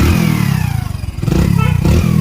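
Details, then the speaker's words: Fully restored 2016 Hero Passion Pro single-cylinder motorcycle revving after rebuild: thump rises and falls cleanly with throttle, no misses or rattles; runs perfectly. "చాలా అంటే చాలా perfect వచ్చామన్నమాట."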